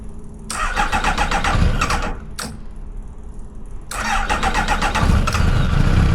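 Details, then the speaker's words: Track car abandoned five years in a car park, first start after rewiring and fuel pump priming trouble with suspected air leak or filter: engine catches, stumbles, dies, restarts and runs rough, not revving properly; cause unconfirmed. "obviously that wasn't the end of it because as you can tell it sounded really bad it wasn't revving properly but it was turning over and running and that's what we wanted to achieve"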